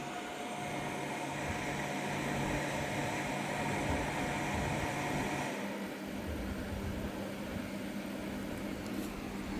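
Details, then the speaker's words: Grid-tie inverter after replacing its stiff cooling fan (oiling didn't help, shaft suspected bad), tested at 13 A, 42 V, about 400 W output: steady even whir with faint electrical hum, no rubbing or ticking; new fan running normally. "พัดลมทำงานได้ปกติแล้วนะครับ"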